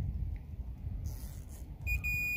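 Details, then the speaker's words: Toyota Corolla fuse box, Fluke 117 multimeter on continuity across fuse test points without removing fuses: steady high beep as probes touch, indicating a complete circuit and good fuse. "um you can just listen for that beep and know that the fuse is good"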